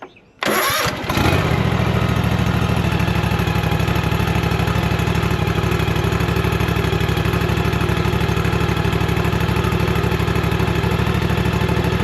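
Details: Toro TimeCutter 54-inch mower with Kawasaki FR691V V-twin after oil and filter change and full service: cranks briefly, catches at once, settles into steady, even idle with no knocks or misses.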